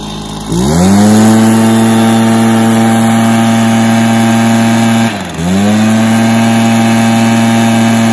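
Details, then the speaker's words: Stihl BR430 backpack blower, previously bogging down and now fixed with an easy fix: the engine catches, climbs to a clean steady high whine, dips briefly and recovers smoothly, and revs out evenly. It starts and runs well and sounds healthy. "and it seems to rev out well now so it's been doing a decent job"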